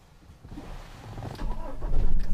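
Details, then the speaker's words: Toyota Hilux 4WD double cabin, 2KD-FTV 2.5 L four-cylinder common-rail diesel, started with key from inside; cranks and catches into a deep rising diesel rumble that settles without misses or knocks, relatively smooth; healthy start. "Wow, gokil, suara diesel langsung terdengar guys. Relatif suaranya relatif lebih halus gitu ya,"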